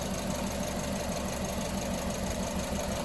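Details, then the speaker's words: Engine idling with the number 1 injector connector pulled to create a lean misfire: lumpy, uneven beat that regularly drops a pulse, heard while the secondary ignition spark line curves upward. "So let me make an alteration here. You'll hear a misfire transpire, and see if you can see a change in the trace. You'll hear it right away on the cadence of the engine here. You'll hear it miss a beat."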